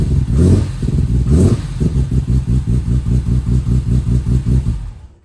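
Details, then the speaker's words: BMW E30 touring with S38 engine swap and twin 2.5 in Super Sprint exhaust, only a base tune: deep loud burble after blips with slightly uneven pulses at idle; engine running a bit off, rough running. "Sounds pretty sweet, but at the moment, the engine is running a bit off as I've only just got a base tune on it."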